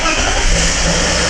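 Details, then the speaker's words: BMW E39 with M52 engine, hood open, oil pressure light going out after three seconds: a loud, busy rapid ticking over idle that gets worse when revved; hydraulic lifters tapping and due for replacement. "очень сильно стучат гидрики попробую дать газу ужасно сильный звук вот так пора менять гидрокомпенсаторы"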